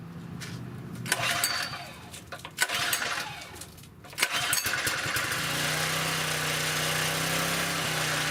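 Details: Southland lawn edger that wouldn't start even after new spark plugs. A few pulls with clatter, then the small engine catches at about five seconds and holds a steady, even idle. Now starts normally.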